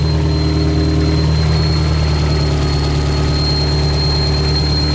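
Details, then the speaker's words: Car idling after installing a replacement alternator: steady high whine over smooth low idle persists; not the alternator, source still unknown. "well wasn't the alternator I guess the good news is I have an alternator I really wish I knew where that noise was coming from"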